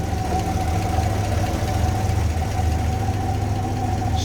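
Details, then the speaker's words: 1954 Chrysler New Yorker, 331 Hemi V8, era-correct and reportedly never out of the car: deep steady idle, even rumble, no knocks or misses. Normal idle. "running v8 underneath there all right and again according to the long-term ownership that engine had never been out of the car"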